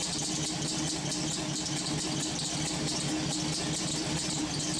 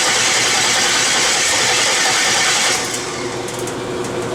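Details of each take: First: LS-swapped V8 on homemade headers, restarted to warm up, steaming: a steady, even idle with a constant hiss and no misses, ticks or knocks; normal idle, running well. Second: LS-swapped V8 with homemade headers on its first startups and no stepper motor idle control: uneven popping, ragged running with hissy intake noise that sags midway; a misfire from coil packs wired to the wrong cylinders.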